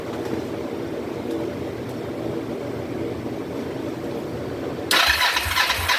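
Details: 2004 Kawasaki Vulcan 500 stored two or three years, petcock on prime after float bowl reassembly, choke applied: steady cranking at about three compressions a second for five seconds, never catching; cranks but won't start.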